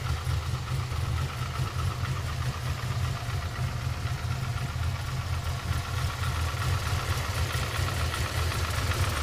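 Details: Chevrolet Camaro idling with a light, even rhythmic knock over the low rumble; owner asks whether it is piston slap, source unconfirmed.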